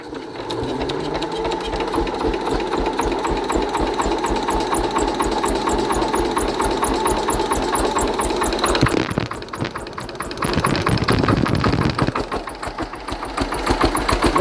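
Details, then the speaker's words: Hatz single-cylinder diesel converted to spark-ignition running on woodgas, after retarding ignition about 10°: quick, steady thumping that shifts tone with throttle changes, runs smoothly without stumbling, near maximum throttle; normal running. "that sounds a lot better nice throttle or whatever so that's about maximum"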